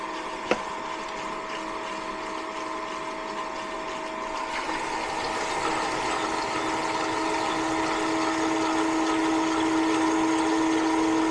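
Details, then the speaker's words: Old condensate pump in an HVAC no-cooling call, plugged in to test: steady buzzing hum strengthening as it pumps down; sounds bad, owner suspects clogged and decides to replace it; noisy condensate pump. "It's pumping down now. Sounds bad though."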